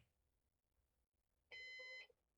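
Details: Used Synology DS418 NAS during first setup after applying volume: single high steady half-second electronic beep in a quiet room, alarm buzzer warning; muted via Beep control.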